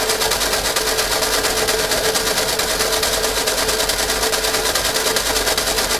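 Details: 1952 Fordson E83W pickup with 100E engine, freed from seizure (stuck pistons and valves), unstarted since 1982, with choke: fast even starter chatter over six seconds with no firing; cranks but won't start.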